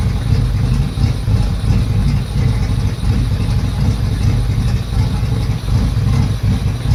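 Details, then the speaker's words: Yamaha F225 outboard with a rough, hunting idle that stumbles and swells unevenly; it revved up and died on its own, cause unknown. "It died on its own. Revved up on its own as well."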